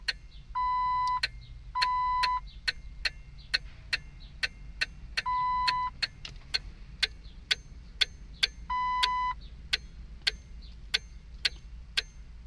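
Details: Jeep Wrangler no-start: sharp clicks about once a second behind the dash with intermittent chime beeps, no cranking. Start fuse checked good, relay, battery and starter replaced, brake-warning alarm issue preceded it; owner suspects a brake-alarm relay, cause unconfirmed.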